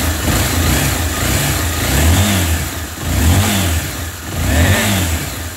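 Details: Honda XRE300 that dies at idle and starts hard: engine stays lit only on repeated throttle blips, revs swelling and sagging unevenly; bubbling in the coolant while running points to a cracked cylinder head.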